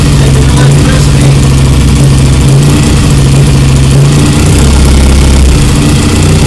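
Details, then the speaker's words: BSA Lightning twin, first start after years of neglect, carbs and timing not yet adjusted: loud, steady twin-cylinder beat with an even low note, no knocks or rattles; engine sounds good and tight. "The engine sounds good and tight."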